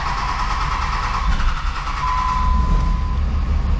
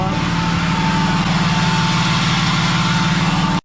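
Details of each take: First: 3rd-gen diesel with new BD Diesel 90 hp injectors at idle: heavy, rough, uneven knocking clatter over a deep rumble, white smoke. Owner suspects overfueling injectors; disabling each injector never stopped the smoke. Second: 3rd-gen diesel truck just fitted with BD Diesel 90 hp injectors, first revs after startup (light smoke from oil and brake clean): strong, even drone with a smooth pulse and no misfire or rattle; it runs healthy.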